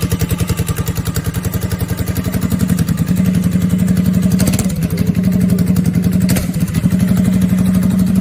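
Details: CFMoto CForce ATV after throttle set screw readjusted and locked with hot glue so it won't back out; steady single-cylinder thump with even regular firing pulses, no stumbles; clean normal idle.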